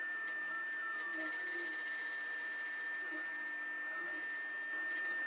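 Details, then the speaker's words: Anycubic i3 Mega-S 3D printer during a print with fans running: constant high whine with shifting, warbling, rattly tones as the head moves; loud stepper noise from stock stepper drivers, before driver upgrade. "you can hear the machine operating probably right now just in general it is really loud stepper noise it's a little radley so we have a few other things to fix other than fans"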